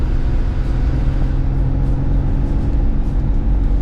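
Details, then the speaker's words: Chevy S10, unknown mileage, on-road light acceleration test after a rocker arm adjustment for a top-end noise: even engine drone rising with no ticking or tapping; the adjustment cured the noise. "wo but there's no noise that is awesome so our adjustment worked"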